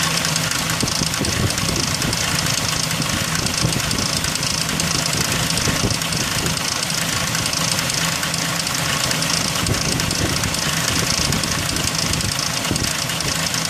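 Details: 2003 Ford Ranger 4.0 at idle: busy metallic rattle with uneven ticking about four per second, loudest up top; timing chain noise.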